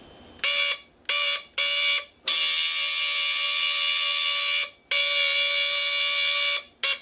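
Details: Stepper motor from a CNC setup, shown working after being partly taken apart: loud, steady high-pitched whine that cuts in and out as the motor steps and stops, running normally.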